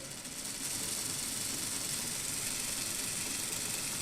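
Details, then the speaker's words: Hornby/Lima model locomotive with ringfield motor replaced by a 6-volt CD/DVD drive motor in a 3D-printed adaptor, gears lightly oiled: smooth high-pitched hum, no binding, grating or stutter, quieter than ringfield; normal motor running. "It's definitely quieter than Ringfield. No sign of any binding or grating, and we wouldn't expect any because we don't have that bearing or potential bearing issue. Smooth. It's yeah. There's no stuttering, no juddering."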